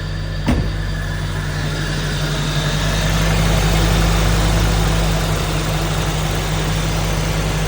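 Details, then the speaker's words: Toyota AE86 Sprinter Trueno on a true cold start (header still cold, in neutral, oil pressure coming up, coolant temperature low): quick start into an even, steady low idle with no ticking, knocking, misfire or exhaust smoke. Healthy cold idle. "No ticks, no knocking, no weird engine noises. No smoke coming out the exhaust. Sounds good."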